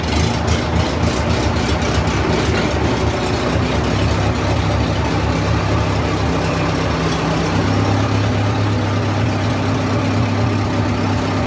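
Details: 1970s Bobcat skid steer with a rebuilt Wisconsin four-cylinder engine, cold start on choke after sitting about a month: settles into a steady, even low idle; runs smoothly, nothing abnormal.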